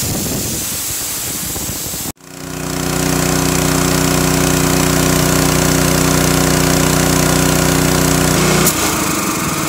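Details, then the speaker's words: Honda GX160 on a Ridgid 90135A compressor after coil replacement for shutting down when hot: from about 1800 rpm low speed, safety valve pulled to drop pressure, bullwhip control steps it up to steady higher rpm without misfire or surging; normal throttle response. "what I can do is come over here and pull the safety valve and that'll release of pressure and cause the bullwhip throttle control to kick this up back to higher rpm"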